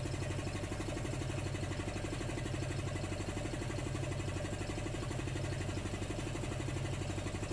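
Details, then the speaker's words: Homebuilt belt-driven compressor with an aftercooler and water trap: smooth, regular pump thump at about four beats per second over a steady motor hum, with no knocks or slipping. Normal running; pulley at 45°C. "there we go you can hear that not very loud at all"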